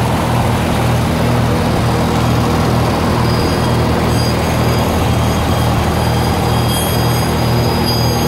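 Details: 1948 Lincoln SA-200 welder engine, long unused, revived with little work, with a short stack with resonator: a loud, steady drone with a soft even pulse about twice a second and no knocking. Normal idle.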